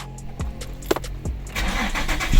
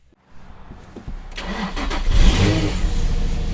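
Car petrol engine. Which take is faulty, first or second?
second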